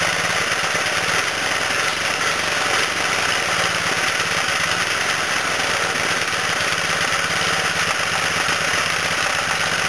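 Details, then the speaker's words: 1989 Briggs & Stratton 3 HP single-cylinder engine, rebuilt with a new connecting rod and dipper, on its second startup runs at a steady, even, quiet beat with no knocks or rattles; sounds healthy. "So, yeah, I did start it up. It runs very quiet."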